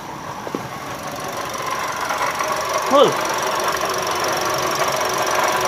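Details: Toyota Calya/Daihatsu Sigra engine running, customer complaint of rough noise in engine bay: steady gritty whirr; inspection found faulty water pump, fixed by replacing water pump assembly; water pump bearing noise.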